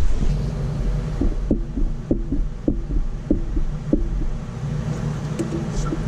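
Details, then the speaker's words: Mitsubishi 3000GT VR4 while driving: light clunk repeating about every 0.6 seconds over low drivetrain drone; owner suspects rear differential or wheel play, coil checked not loose; rhythmic clunk from rear, cause unconfirmed. "That noise has got to come out of this fucking diff."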